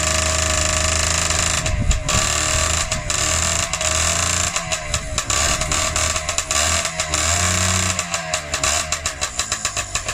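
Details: Freshly rebuilt Honda QR50 two-stroke started outdoors in the yard, oil topped up, little petrol in, new carb fitted: high, buzzy crackle with throttle blips and steady pulsing toward the end; normal two-stroke running.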